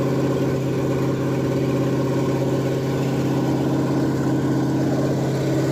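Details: Ford F100 302 V8 with a Comp 268H cam during break-in after re-lashing the valves: steady, even high idle with a smooth open-header burble and no ticking or knocking; holding temperature and charging, though the oil looks slightly milky.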